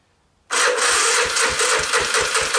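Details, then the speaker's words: 1986 Honda TRX250 with low compression, a weak electric starting system and a new starter and gears, choke on, using starting fluid, first try: slow, labored cranking at about four beats a second that never catches. Starter sounds bad. "got that starter sounds like heck first try fail"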